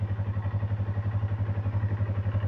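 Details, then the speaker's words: Stock used Yamaha YZF-R25 250cc at idle, listened to from the engine: steady, even thumping about ten pulses a second with no ticking or clatter; healthy normal idle. "strukturnya enggak ada bunyi tek tek tek Itu bersih motornya masih standar"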